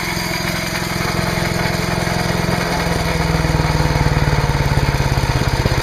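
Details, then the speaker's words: Trash-picked MTD chipper/shredder with a 5 HP Briggs & Stratton single-cylinder engine, running after a new spark plug, new air filter, fresh oil and clean gas. Steady, even putter at fast idle with no misses or knocks. "I'm going to change oil spark plug air cleaner and I'll bet this thing's going to be running real happily"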